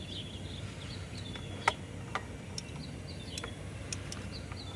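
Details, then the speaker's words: 24-volt walkie jack forklift (batteries in series) with the lift button pressed: sharp, sparse clicks about half a second apart, contactor clicking out with no pump motor, so it won't lift; throwing code 857, battery voltage to be checked first. "Put it down and start it up, and push the lift button. See what it does. Click out."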